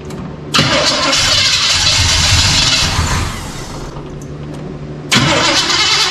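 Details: 1985 Chevy C10 with a 307 small block and Quadrajet, started as-is with only the spark plug gap changed, vacuum gauge on the manifold, through dual exhaust. Cranks and fires, then runs loud and uneven; rich-running rough idle.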